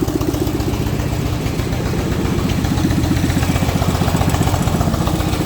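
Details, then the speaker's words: Coleman CT200U mini bike, choked, fuel just turned on after draining bowl, carb screw adjusted way out: small single thumps unevenly, about four beats a second; rough idle, owner considering valve adjustment. "really does pull pretty good foreign but I have that screw adjusted way out"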